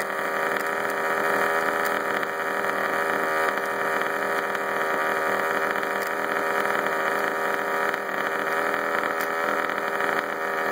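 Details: Baja 5T RC two-stroke engine, after running wide open briefly; high steady buzzing idle with a light metallic rattle on top: engine rattle, source not pinned down.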